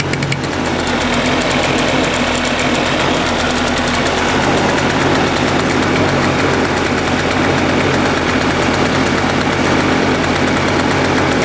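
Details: Suzuki Address 110 scooter with 11,373 km on the crankshaft and 6,392 km on the piston set, at steady revs: loud clatter with a fast metallic knock; the owner suspects the piston or piston pin; engine knock.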